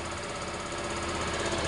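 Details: Suzuki Burgman 125 scooter, after no-start work on the idle speed control and refitting the injector: steady, even idle with a light fast patter, no misses or knocks. Normal idle.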